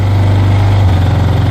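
A small single-cylinder engine idles steadily with a low, even thrum and a regular exhaust pulse.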